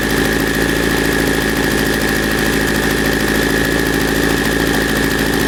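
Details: 1984 Kawasaki GPZ750 Turbo, fuel-injected, first start after sitting under a tarp since 1989; rusty fuel tank, dirty injectors. Busy, uneven idle with a ragged pulse and steady high whine on top; running but not yet smooth.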